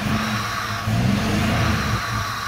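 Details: 1997 Dodge Caravan after fixing bad ground contact in harness by bending pins: engine revs freely with even steady note, no misses or knocks; previously would not rev, now revs normally.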